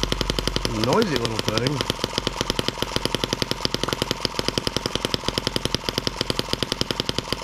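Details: New M17B small single-cylinder engine, first start after unboxing, oiled and fueled, run before adding cooling water: fast sharp even firing after brief catch; loud but healthy normal running.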